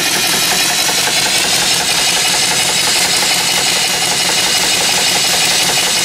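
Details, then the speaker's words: Small steam engine fed from a boiler at about 120–125 psi, new oiler fitted: constant steam hiss with soft, fast, even chuffing, no knocks; it runs about 350 RPM and is expected to run faster once broken in. "so I'm going to run the engine a little bit it does run 350 RPM that's the problem um when it breaks in they'll probably run faster"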